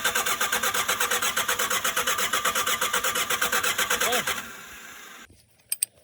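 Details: Shengong 20 that won't start: steady starter cranking about two beats per second for four seconds, never catching; failed high-pressure fuel pump, fixed by replacement.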